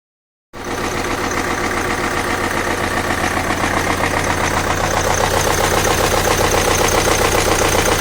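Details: BMW N47 diesel idling, engine destroyed by very bad oil servicing: hard, steady knock about three or four times a second over a harsh clatter; severe internal wear.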